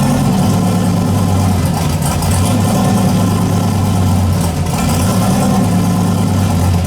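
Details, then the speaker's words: Engine hunting at closed-loop idle, rpm swinging up and down every couple of seconds instead of holding steady while tuning is still in progress; owner suspects the wideband reading, has pulled fuel, and notes it idles smooth once hot. Unstable idle. "all right closed loop at idle is a little bit you can hear it it goes 20 like 11 2011 so I got to slow it down around idle or you know work on some other there too work in progress"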